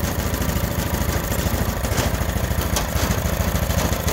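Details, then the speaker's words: Honda GX390 on a stand-up machine, factory auto choke that never worked now fixed: starts and the vacuum opens the choke; steady, even low thump at idle, no misses or rattles, idling cleanly. "so now the other choke is work soon as it started up the turn the choke off with the vacuum beautiful so we got the auto control working"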